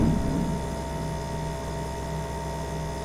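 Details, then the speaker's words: Refrigerator compressor running after first start in two to three days, body warming up: steady low hum with faint constant tone, no knocking or rattling; regular fridge sound, normal compressor running. "जो regular I think सभी refrigerator में इस type की आवाज़ आती ही होगी तो कुछ उसी टाइप की आवाज़ है कोई ऐसा अलग टाइप की आवाज़ मुझे नहीं लग रहा है"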